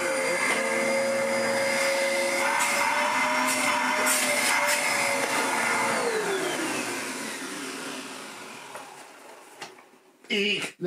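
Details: Hoover vacuum cleaner bought at a car boot sale, running: a steady high whirring motor with even pitch holds for several seconds, then winds down cleanly; healthy running vacuum motor.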